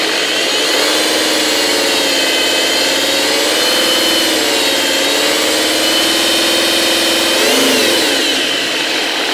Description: Alfa 156 2.4 jtd 10V 136 cv whinning noise coming from the aux belt area.